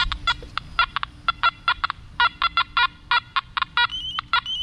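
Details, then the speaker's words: Nokta Macro Multi-Kruzer metal detector, tested with a ring, penny and quarter: repeated short, sharp chirping beeps in uneven bursts, the overload warning; unclear which target combination causes it. "so that sound is the machine overloading so let's see if it does it with the quarter and the penny or if it's just maybe the ring and the penny is causing it to overload"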